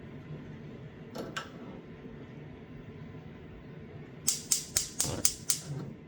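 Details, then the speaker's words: GE TrueTemp gas stove, left front burner knob held at light without gas flowing; quick run of sharp crisp clicks about four per second, spark visible at the igniter: normal igniter clicking. "click, click, click, click, click, click. That's a little spark machine."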